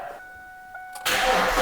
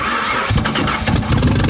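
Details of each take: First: 2002 Ford Mustang, first start after tightening a forgotten connector bolt that had left the electrics unconnected. A warning chime, then an immediate catch into a loud, raspy but even roar. Normal running; loud exhaust because the rear mufflers are missing. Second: 2002 Ford Mustang V6 whose previous owner blew up the engine, which was clanking before. It catches and revs unevenly with a coarse diesel-like clatter about four beats a second. Rough running from a thrown connecting rod.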